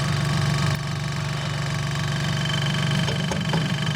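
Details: Compressor of a vintage Westinghouse fridge after rewiring and remounting on rubber washers. A steady low hum with an even pulse about four per second and no rattle or knocking; it is much quieter, cycles quickly and uses little power. Normal compressor run.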